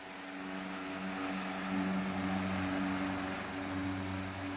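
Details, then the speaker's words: Late-1910s/early-1920s Marelli Bisa 12-inch oscillating table fan started on high: steady low whirring motor drone with a gentle swell as the head sweeps; a powerful, normal startup and running. "so anyway we'll start this up on high [Music] it's got a very cool startup sound and lots of power"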